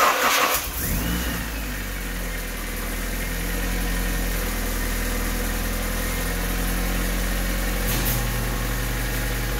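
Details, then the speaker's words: Honda Civic/CRX (B/D/H/F-series) first start after a budget coil-on-plug conversion replacing the distributor. Brief crank, quick catch, then a steady, even idle with no misses or knocks; normal start, all working. "oh yeah it's all working"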